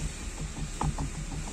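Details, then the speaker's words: Chevrolet Onix/Prisma: dull hollow clunks as steering wheel is rocked up and down, not turned; worn, loose steering wheel retaining nut left by someone, not the steering box; fixed by tightening the nut. "dá para escutar a pancada Opa o volante como que tá aí ó é só fazer isso aqui Alguém mexeu pessoal dá para perceber que a porca aqui ó tá gasta alguém mexeu e deixou frouxo o volante"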